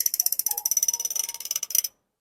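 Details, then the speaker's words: Speedone Sniper bicycle hub freewheeling: rapid, sharp, high-pitched clicks, about fifteen a second, ringing and echoey, then stopping dead; normal loud ratchet, the star ratchet's vibration making the hub shell act as an echo chamber. "So itong hub nagiging echo chamber kaya meron din siyang kakaibang tunog. May parang ganun siyang tunog eh. Para siyang may echo talaga."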